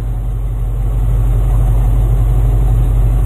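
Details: Engine just fitted with a new aftermarket carburetor, choke partly removed before first drive: smooth, even low-pitched idle around 700 rpm with no stumbles, hunting or knocks; healthy.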